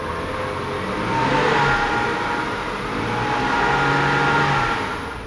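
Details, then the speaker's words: Whooshy vacuum-leak-like sound just off idle on a turbo petrol engine, growing louder as revs rise; groaning follows at higher cold rpm. Suspected bad crankcase breather on a 2008 Audi A3 or noisy tensioner bearing on a BMW 335i. "so right away you can kind of hear the whoosh since it's yeah as it revs up you can hear it"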